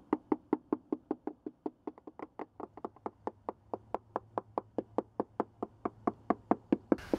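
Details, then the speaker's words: Mallet tapping an inch or two at a time across a 45-foot sailboat's fiberglass deck after teak removal: steady taps, some duller and hollow where the core has delaminated, gone over repeatedly to outline the area for taping and repair. "section will sound Hollow you can hear the difference here when I find a bad section I'll go over it several times to delineate the problem area"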